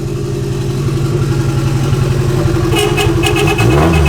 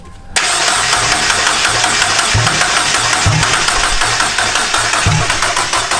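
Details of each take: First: JDM turbo Miata in neutral after first successful start, exhaust unfinished; raspy engine climbs smoothly through a free rev with even firing, then a faint turbo hiss joins in: healthy rev. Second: JDM turbo Miata on MegaSquirt, first start attempt after reseating parts under the fuel rail; starter grinds with uneven stumbling firing bursts that never catch, RPM reading jumping 200 to 0 while cranking: no start, crank pickup suspected, damaged crank pulley trigger markings.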